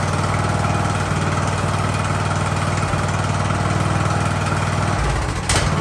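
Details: Ariens hydro-drive riding mower, sat at least two years, in about 30-degree cold: small single-cylinder thumps along at an even, steady idle, no misses or surging; idling normally.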